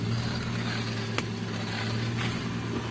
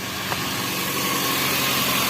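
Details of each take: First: Toyota Avanza power steering pump after repair (hardened O-rings, dirty fluid and clogged filter addressed), cold engine idling near 1000 rpm: even idle with faint steady pump hum, groaning gone. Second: Toyota Avanza power steering pump, engine idling: quiet normally, but a steady low groan when the steering is held at full lock; fluid foaming, hardened seals leaking, dirty oil and clogged filter suspected.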